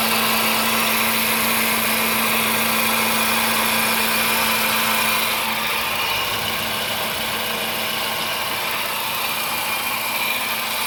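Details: Idle after driving through a flooded street in Arecibo: hissy, whirring engine with a fast, fairly regular tick, about three to four a second; abnormal noise since the flooding, cause unclear.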